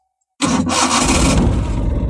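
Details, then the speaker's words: 1996 Maruti Omni Type One van with a two-year starting problem, after replacing the distributor: a short crank, then it fires on the first try and settles into an even idle. Normal start. "பார்த்தீங்களா ஒரே இதுல start ஆயிடுச்சு எந்த சொத்து வாங்கவும் இல்லைங்க எதுவும் இல்லை அருமையா ஸ்டார்ட் ஆகுது"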